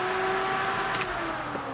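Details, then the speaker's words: Dodge Challenger abandoned 35 years: its electric radiator fan runs via a Holley Terminator X relay (on at 195, off at 185, 180 thermostat), here switched on manually. Steady, even whirring hum with no rubbing, ticking or bearing growl; normal fan operation. "It will have a programmable ground for the relay, and I programmed it to come on at 195, shut off at 185, and a thermostat at 180."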